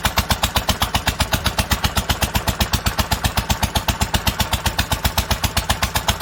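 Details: 1946 International Harvester LBB 3-5 hp water-cooled engine, cold first start after choking: sharp evenly spaced firing beats about four per second, steady with no misses; normal running.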